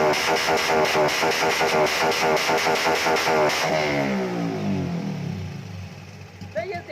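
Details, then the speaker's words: Motorcycle on a dyno with a month-long stumbling fault not cured by new injectors or a new ECU (fuel-pump connector also found misplugged): fast even revving, then ragged pops as revs fall on throttle close. "ตัดนี่ครับเป็นไงได้ยินเสียงตัดกันยังครับเหมือนมันไม่อยากเต็มใจจะตัดอ่ะครับ"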